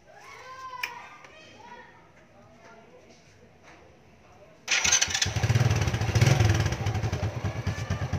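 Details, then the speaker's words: Motorcycle started on its stock AC CDI, before converting to DC CDI: quiet lead-in, then catches and settles into a steady even putter with no misses or knocks, good spark; normal running after start. "So, okay siya, no? Maandar. Naririnig nyo naman. So, maganda rin yung tunog ng pag-andar niya, no?"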